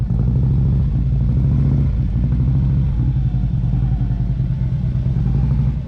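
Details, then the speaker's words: Harley-Davidson CVO V-twin while riding: deep thump with a faint extra clatter on the firing beat; source unknown, lifters noisy and due for replacement, exhaust leak checked, wheel bearing still to check. "once again i have no idea where this noise is coming from somebody else gave a suggestion that maybe tam could put her foot back on the back of the muffler and we could hear maybe an exhaust leak coming out tried that"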